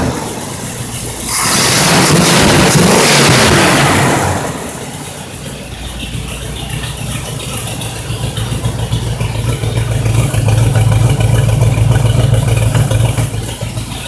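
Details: Rebuilt Pontiac 455 V8 in a 1976 Trans Am, third startup after setting base timing, loud non-clutch fan: brief rev blip, then deep even burble with no ticking or knocking; healthy normal idle.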